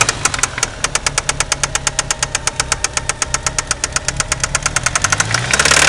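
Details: 1993 Eagle Talon turbo, stock 7-bolt 4G63 engine: sharp, rapid metallic knocking about eight times a second; confirmed spun/worn connecting rod bearing, play found between rod and crankshaft with oil pan removed.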